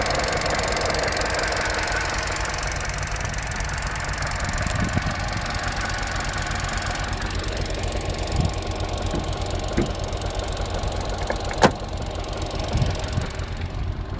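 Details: Opel Corsa D 1.4 100 PS, warmed up by about 10 km of driving, at idle: fast, light injector ticking over a smooth engine note. This is ordinary injector tick, nothing wrong.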